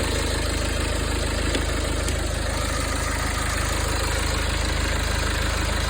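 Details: BMW N47D20 diesel at idle: steady idle with fast, fairly even metallic rattle about four beats a second; shop says it comes from the exhaust system, source unconfirmed.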